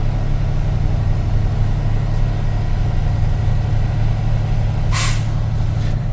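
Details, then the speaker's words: Truck at idle during a CDL in-cab inspection, tach kept under 1500 while building air: the compressor runs, then a sharp hiss of air dumping as the governor cuts out between 120 and 140 psi, a normal air governor cutout. "That sound was the governor cutout, and it happened between 120 and 140."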